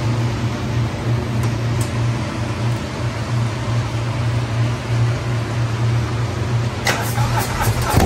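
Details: 2020 Harley-Davidson Road Glide custom 130-inch performance bagger on its first start: a deep, loping V-twin idle with an even, steady beat and no knocking or ticking; healthy.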